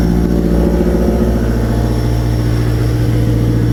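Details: Cat 277B with 3044C-T turbo diesel at mid throttle, no load: uneven, stumbling low beat about two per second, puffing smoke. Runs fine at idle and full throttle; owner suspects bad injectors, fears injection pump.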